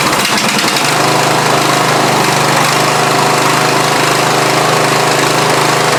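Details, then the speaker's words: Lawn tractor after silicone cleaned off, new gaskets fitted and carburetor back on: fires up and holds a loud, steady, even beat at constant speed with no misses or hunting; runs great after repair. "Ching so yep she running great so I'll be ready to cut some grass"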